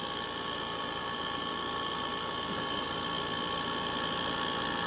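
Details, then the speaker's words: Trane 5-ton R410A condensing unit, built 2020, whose compressor wouldn't start, now running after a hard start kit install at 19 A against a 20.8 A RLA: steady, even, somewhat loud hum expected to quieten, already cooling. Normal compressor running. "ya empezó a enfriar acá es un poquito fuerte el sonido pero creo que va a ir disminuyendo"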